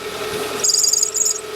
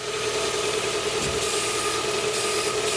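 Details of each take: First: 2010 Hyundai Tucson 2.0 16-valve with manual gearbox squeals and warbles when started cold and when the steering is turned, as the belt binds and slips; the noise persisted after the power steering pump was replaced, and the belt runs via a double-pulley water pump. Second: 2010 Hyundai Tucson 2.0 16-valve manual idling steadily with the steering at full lock and no belt squeal after the belt was retensioned; the power steering pump had locked the belt and made it squeal. Problem solved.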